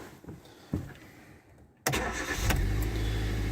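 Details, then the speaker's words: Hyundai i10 with MOT to next January and only advisory an insecure rear exhaust, drives well; push-button start, short crank then catches cleanly and settles to a steady even idle, no warning lights: normal start and idle. "Starts on a button. Idle's fine, no warning lights at all."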